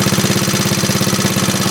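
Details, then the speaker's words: 1939 Onan single-cylinder DC generator rated 115 V, running after repair; meter reads 116 V. Steady, even thumping of roughly twenty pulses a second, holding speed firmly with no hunting, misses or smoke. "That's good, steady. Look at that, Mike. No smoke or nothing. Yeah, that's pretty good."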